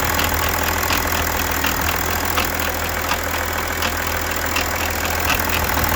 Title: BMW 730d E65 M57N2 engine noise, Timing chain. Bonnet/hood release stuck